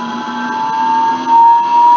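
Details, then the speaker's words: Electric motor bearing whine, a steady high whine holding near one pitch as the motor runs up, with noise above 1 kHz; swapping the bearing set into another motor reproduced the noise, confirming the bearing, and with a new bearing it was silent. "let's exchange the bearing let's figure out if same bearing set it's gonna be noisy again in another motor and actually it is so it's the bearing"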